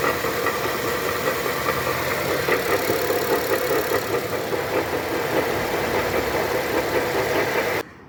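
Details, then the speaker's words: 2011 Honda Civic G8 LXS automatic that engages no gear, drive or reverse: loud uneven clattering and knocking when a gear is selected, no scanner faults; cause a broken half shaft. "O carro não engata nenhuma marcha, nem drive, nem ré, nada. Ele faz um barulhão, né? Na hora que ele engata a marcha."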